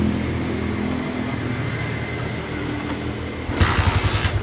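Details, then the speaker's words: Motorcycle after repair of rough clattering noise from the cylinder head: steady even running then throttle blip, firm regular pulsing, no top-end clatter; rough noise drastically reduced. "Oke dan di sini sudah berkurang drastis dari suara tadi ya ini bisa dinyatakan suara kasar tersebut hilang"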